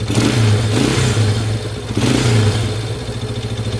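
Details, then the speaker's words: 1993 Yamaha Warrior ATV, first run since about 2011, carb rebuilt, choke off and idle adjusted: engine revs cleanly on two quick throttle blips then settles to a steady idle, no knocks; healthy revving. "I can't even believe how good this thing run since 1993 hasn't been started since like 2011 sometime"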